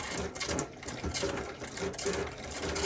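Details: Elddis Autoquest 130 motorhome, hot side of tap drawing water through to fill the boiler before lighting it: pump chatters with irregular spluttering bursts as air coughs out of the line; normal.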